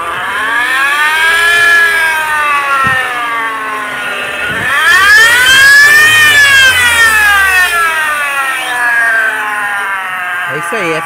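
A loud, siren-like whine climbs and falls with each rev, coming from the supercharger.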